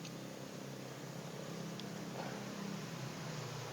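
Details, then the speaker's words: Refrigerator refrigerant recharge, vacuum pump running with hose connected before freon charging: quiet, even low hum, steady drone, no knocks or rattles; pulling vacuum normally. "tentu ini vakum ini saya lagi vakum bunyinya ini sudah pasang selang"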